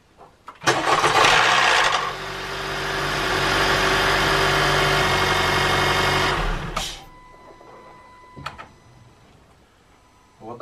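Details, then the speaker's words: 2014 Honda Fit GK5 RS 1.5 (132 hp), nearly 50,000 km, cold start: hard rapid clatter for about the first second then steady idle; no knock on restart; valve clearance suspected, adjustment to follow. "вот так вот он заводится со стуком первые секунду стучит после повторной заводки уже этого стука нет"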